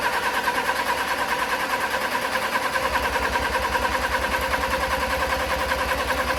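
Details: Crash-damaged Audi A4 TFSI 35 with a replacement engine, coil packs disconnected: even starter cranking at about three pulses a second without firing, turning freely while building oil pressure between 30-second cool-downs; no leaks.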